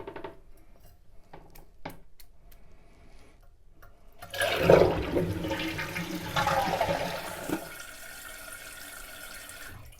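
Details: Two-piece Kohler toilet that intermittently keeps running, after the fill float clip was slid down to lower the water level and shut off sooner: a strong rushing flush, then a softer refill hiss that tapers off. The fill valve shuts properly.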